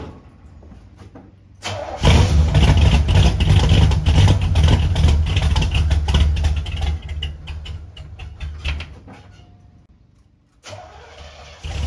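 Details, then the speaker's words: 1971 Oldsmobile Cutlass S with 350 Olds V8: catches after cranking, runs rough, sags and dies, cranks again; flooded because the large air cleaner was hitting the choke and holding it shut. "what happens here is I flood it now I'm not that much of a ding dong"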